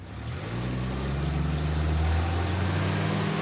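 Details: Six-cylinder revving up smoothly from idle after distributor advance fixed, 9° initial timing advancing to about 27° with revs; even climbing drone, no stumble or ping. Fouled plug with aluminum foil found afterward.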